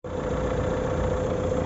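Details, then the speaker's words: 2019 Renault Megane IV 1.5 dCi K9K 872 turbodiesel after about 5 minutes warm-up: even rumble and faint steady hum, no pulley noise; cause was the crankshaft damper pulley, since replaced. "так работает после примерно 5 минут прогрева Ну двигателя практически точнее шум шкива не слышим слышим только рокот двигателя"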